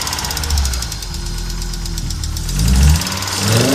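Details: Audi Coupe after an NG-to-AAR engine swap: hard starting, many misfires, and it stalls while driving. Low, lumpy running with irregular stumbles and surging revs instead of an even beat. Clear misfire; cause not yet known.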